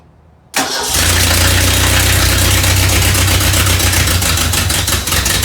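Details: 1989 Ford Ranger XLT with a swapped-in 1987 distributor engine replacing the original fuel-injected one, first start in neutral with the parking brake on: it catches quickly and settles to a steady, even idle with no knocks or misfires. It sounds healthy.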